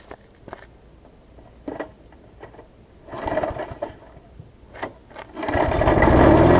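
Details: Murray 20-inch mower's six-horsepower Quantum-type Briggs & Stratton engine on its transplanted Craftsman deck: scraping and clicks, then it fires and settles into a steady, even roar; runs good.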